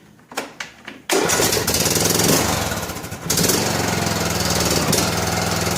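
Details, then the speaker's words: John Deere LA105 riding mower after tune-up with new oil, air filter and spark plug: a few cranking pulses, then it catches on choke, sags and climbs back up over a couple of seconds; cold-start surging that goes away when warm. "Surging goes away when it warms up."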